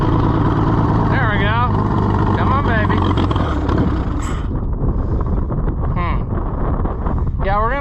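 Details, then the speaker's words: Oliver 70 tractor, first run in many years after a carburetor rebuild: runs rough and uneven, surging and sagging, never settling; owner suspects poor fuel delivery, not enough fuel, cause not confirmed. "working on uh we're going to be working on fuel delivery cuz I don't think it's getting near enough"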